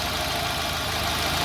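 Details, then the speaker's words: Engine running on petrol after valve adjustment and new spark plugs, with even compression: idle stumbles with uneven low thumps, the misfire moving between cylinders rather than staying on one; throttle body to be checked next. "nie ma tak że to dajmy na to pierwszy cały czas przerywa"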